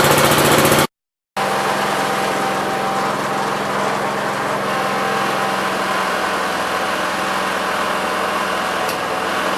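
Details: 1969 Gravely 432 single-cylinder engine, next morning at about 15 degrees, first drive after carb float level fix; steady even putter with constant light drone, no misses or knocks. Normal running.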